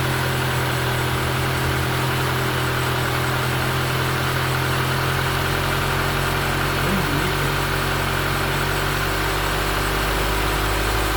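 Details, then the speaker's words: Taxi engine after replacing broken lifter (tappet, broken spring, roller without oil) that caused a tac-tac noise: steady, even idle with smooth low hum, no ticking or knocking; service complete, engine sounds healthy. "Aí, galera, serviço concluído. Olha só o barulho do motor cantando bonito."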